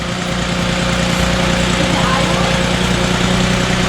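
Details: 2006 VW Passat with a low oil pressure light, broken plastic timing chain guides suspected, started after pulling the oil pan: quiet, even idle with a steady low hum and no rattle or chain slap, much quieter.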